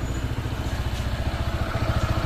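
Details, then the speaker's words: Honda PCX 160 scooter, new and not yet broken in, with a low pulsing idle that wavers and hunts; it stalls by itself at idle with low rpm. "Nainis lang ako kasi kusa siyang namamatay habang naka-idle yan tapos nagbabago yung idling niya"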